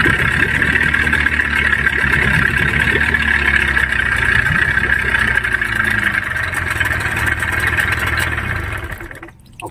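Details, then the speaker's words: Yamaha 15 hp outboard: engine runs very rough with uneven knocking about four times a second over the idle; worn crankshaft and piston-pin bearings. "dia bunyi mesinnya sangat kasar untuk cara memperbaiki mesin tempel yang bunyi kasar seperti ini sangat gampang"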